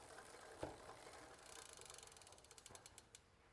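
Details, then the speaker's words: Intense 951 gravel bike rear wheel before caliper alignment: freehub pawls tick as the wheel slows quickly under grinding and a steady rub from a misaligned caliper on the disc rotor, an excessive amount of rub. "So as you can hear, there's a little bit of grinding and then a little bit of rubbing."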